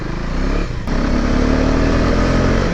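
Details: Adventure-styled single-cylinder bike, accelerating after stalling in third gear at low revs: exhaust note dips at the shift then climbs smoothly, pulling clean and strong; normal acceleration under load.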